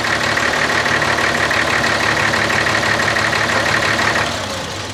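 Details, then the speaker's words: Diesel front end loader engine working under load: steady run about three beats a second with an uneven stumble, miss on number 6 cylinder at the inline injector pump, cause unknown; diesel engine misfire. "Alright everyone, you can hear that miss in it when I'm working. It's number 6 on the inline injector pump there."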